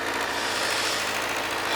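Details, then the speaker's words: 2007 Kawasaki ZZR600, carbureted DOHC inline four, idling on choke as it starts to warm, with the choke then pulled off. Short, smooth, even buzz at a steady high pitch with no ticking or stumbling. Normal cold idle. "let's see if we can pull this choke off now that we got a little temperature. There we go."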